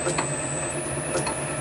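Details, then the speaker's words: Motor on VFD with carrier frequency (F07) raised: faint steady high whistle over soft low hum, no harsh whine; much quieter, fixing the noise. "that's that much quieter again so I'm fairly impressed about [Music] that"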